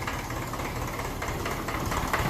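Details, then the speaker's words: Fully overhauled 1954 Ferguson TE20 (TEF) diesel tractor, cool 12° start without heat, idling with a light even rattle after injection timing was advanced from too retarded; normal indirect-injection diesel knock. "so you can hear the little rattling the engine the kind of diesel indirect injection diesel knock I never heard that before"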